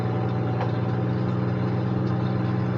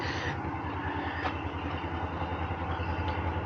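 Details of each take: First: Semi truck at an auction yard, started with a booster pack: steady, even idle with a smooth low hum and no misses, knocks or ticks. The engine runs healthy. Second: Copart vehicle with a Northstar V8 idles roughly with an uneven stumbling pulse, misfiring hard; a ticking that almost sounds like a rod knock is also suspected.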